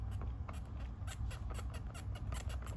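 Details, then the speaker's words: Spinning snowflake snowman decoration before restoration: low motor hum with repeated high thin squeaks a few times a second, unevenly spaced; mechanisms work but squeak, owner plans to grease them, cause unconfirmed. "They all seem to work fine, but I'm still gonna put grease in there. Hear it squeaking."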